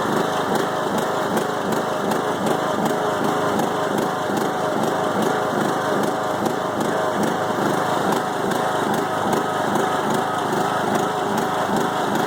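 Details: 5-year-old Craftsman mower with a Briggs & Stratton Intek 20 HP engine, head gasket replaced after hydrolock; smoking stopped but it bogs while mowing: loud, uneven loping idle pulse about 2.5 times a second that never settles. Rough idle.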